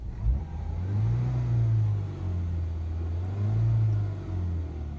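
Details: Citroen turbo petrol engine after fuel rail pressure restored via tester adaptation procedure, following misfire, limp mode and codes P0087/P0313 from low fuel rail pressure; runs smoothly, swelling gently with throttle, no misfire stumble or knock, engine light off.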